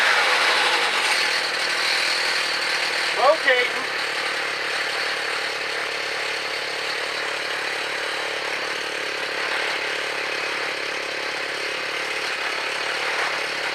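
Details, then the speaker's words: Gas-powered mobility scooter with rebuilt small engine, first start after input shaft repair, new chain and sprocket, no wheels fitted: small engine buzzes steadily at constant speed with no stumbles or knocking; motor runs perfectly, normal running. "sounds good you know the motor runs perfect that little motor rebuilt worked really well huh"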